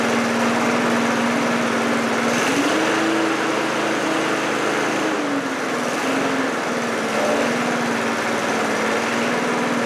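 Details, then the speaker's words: Briggs 3.5HP single-cylinder push mower engine (about 1978–1980) with automatic choke, running at about quarter throttle after deck repair: steady even buzz with slight speed drift; healthy normal running. "well guys it seems like it's running good"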